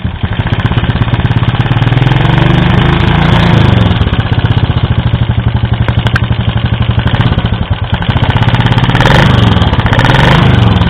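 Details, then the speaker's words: Yamaha Vega Force single-cylinder motorcycle, hard starting: rough, uneven idle with rapid ticking clatter about four per second; head teardown found valve clearance very loose, blackened valves and a scored, worn cylinder block. "Nah, ini kerenggangannya sungguh sangat longgar sekali sehingga ini yang menyebabkan bunyinya kemetek."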